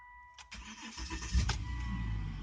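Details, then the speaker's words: 2012 Volvo XC90 with intermittent no-crank (no click) traced to faulty key fob, started with other fob: brief crank catches within a second, smooth steady idle; normal start. "starts up just fine"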